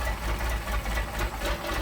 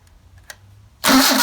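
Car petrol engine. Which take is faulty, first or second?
first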